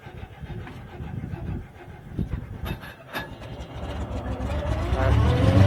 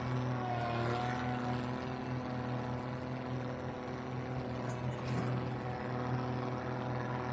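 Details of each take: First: Owatonna 260 swather, first start of the season on a weaker battery: uneven starter churning, then engine fires, rises smoothly and settles; starts and runs well. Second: Owatonna 260 swather at first start of the year: slow, loping, slightly uneven idle with steady low drone, idle set far too low; a little smoky, owner suggests an electric fuel pump to prime faster; otherwise runs well.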